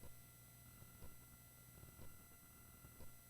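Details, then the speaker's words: UA pedal on a budget import power supply: a faint, steady high-pitched digital whine under soft low thumps. The whine stopped when the pedal got its own power supply. "Yeah, I'm getting this like high-pitched digital whine right now."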